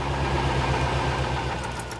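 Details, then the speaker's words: Barn-find C4 Corvette ZR-1 after an ECM repair, battery confirmed tight: a low, lumpy idle with an uneven pulse and slight stumble; it seems the same fault as before, cause unconfirmed. "yeah that's not as smooth as it was no definitely not"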